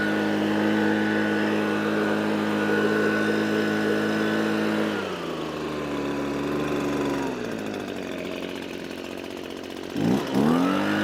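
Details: Echo PB255-LN two-stroke leaf blower after no-start repair with carburetor replaced and coil gap set: steady buzz at high revs, drops cleanly off throttle and picks up crisply; runs smooth and healthy.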